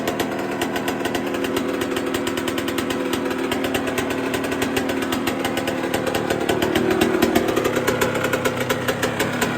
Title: Yz144 First start after the full restoration on my 1999/02! #ukbikelife #yz125 #yamaha #mxbikes